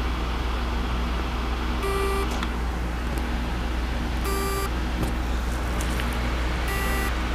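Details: Seagate 1TB 7200.12 hard drive that won't spin, mic placed on the drive: short tonal buzzes about every 2.5 seconds with no spin-up whir, a seized spindle; platters to be swapped to a working chassis.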